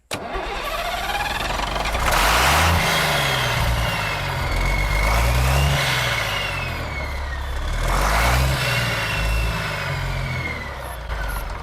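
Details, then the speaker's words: Diesel, injector lines cracked loose to bleed air: repeated cranking with brief weak firing that never catches or holds speed; no fuel reaches the injectors, so the engine is starving for fuel. "I ain't getting no fuel."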